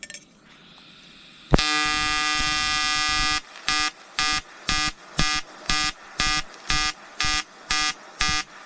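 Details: EWM Tetrix XQ 230 Puls AC/DC Expert 3.0 TIG on 5000-series aluminium with 2.4 mm 2% lanthanated tungsten and 2 mm filler: a continuous harsh buzz, then regular bursts about twice a second; a steady, normal pulsed AC arc.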